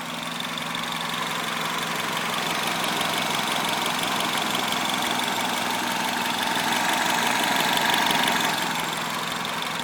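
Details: THP 175 engine at idle: a fairly even tapping at roughly three beats a second over a busy upper whirr; an abnormal noise of unclear cause.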